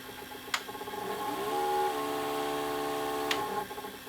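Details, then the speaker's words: Panasonic PV-4361 VHS VCR in forward/reverse search: steady whirring motor with sharp clicks; owner suspects capstan motor drive, seemingly missing a phase, with picture shaking side to side. "oh it works it just makes that just makes that clicking sound I have a feeling it's to do with the drive"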